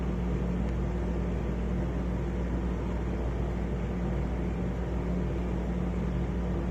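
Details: Arlec Style 3 exhaust fan in poor condition, running on bad bearings: steady low drone with a rough, slightly wavering hum.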